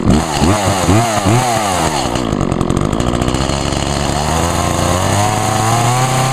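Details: Echo chainsaw (2012 Echo CS 400), owned almost four years and run on ethanol-free fuel; it blips up and down a few times, then holds a steady high rev that climbs slightly, crisp and even. Normal healthy revving; the bar and chain oiler is spraying oil.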